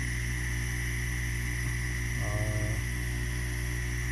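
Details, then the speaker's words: Faulty sump pump plugged in for testing: steady low electric hum with a brief rattling change, impeller jammed and not pumping; spinning it with a screwdriver lets it run, but it jams again, owner suspects a broken bearing or internal part. "so what I have tried uh so far I put the plugin and it's creating a humming sound"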